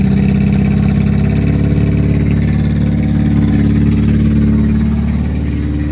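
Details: Deep, raw, throaty lumpy idle barking louder as revs rise from a 2002 Cavalier four-cylinder with the muffler cut out, running again after a cylinder head and gasket replacement; loud exhaust without muffler.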